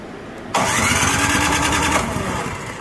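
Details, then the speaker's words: PowerSmart DB7651-24 snow blower that sat with fuel, won't start: brief cranking burst, engine spins but never fires; good spark and compression, fuel looks clear, so carburetor suspected — fuel starvation from stuck needle and seat. "getting good spark out of it sounds like it has compression it feels like it has compression so we probably got a carburetor issue"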